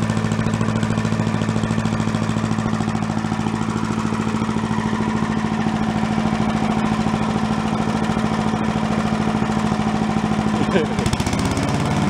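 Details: Commercial walk-behind two-stroke leaf blower, bought not running with reported carburetor problems, repaired and run on the ground to check smoke: steady, even buzz with clean regular firing, no stumbling, surging or misses; running healthy.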